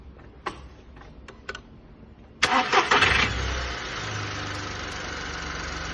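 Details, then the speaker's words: VW Polo 1.2 after timing chain, guides, tensioner, cam and crank sprockets replaced for fault P0341: light clicks, quick start and steady even idle with no chain rattle, healthy. "As you can hear, no chain rattles or startups, running perfectly fine."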